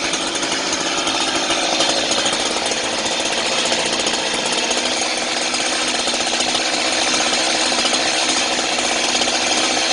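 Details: Chainsaw left running until its fuel is used up, for storage: steady high-pitched rasping two-stroke drone at even speed; running normally before it runs out of fuel.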